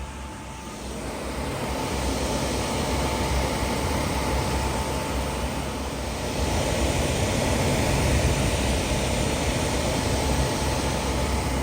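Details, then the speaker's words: Suburban SF-30 camper furnace after repair (new igniter or cleared clog suspected), running in a garage, heat felt 3–4 ft away: steady airy roar, faint constant hum rising slightly as it settles; blower even, heating properly. "oh yeah she throwing some heat I'm excited oh yeah that heat is feeling good I can feel it over here"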